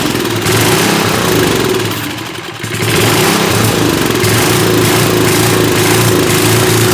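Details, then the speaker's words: 1970s Hahn Eclipse tiller (BHT-120), 3.5 hp flathead Briggs & Stratton, left outside unrun for years, first run on fresh gas after carb cleaning: sags and nearly stalls, then recovers to a fairly even beat; rough running until the carb air-fuel mixture was dialled in. "All right, so it just seemed like we needed the absolute perfect air-fuel mixture, which is going to be weird because as the temperature fluctuates, that's also going to need to be adjusted."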